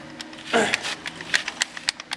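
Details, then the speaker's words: Starter off an 18 hp Briggs racing lawn mower engine, which struggled to turn it over: irregular light metallic clatter when shaken, a loose magnet knocking about inside the housing. "You can hear that magnet flopping around in there. So yeah, this starter is technically kind of usable, but it was having trouble turning over this 18 horse Briggs."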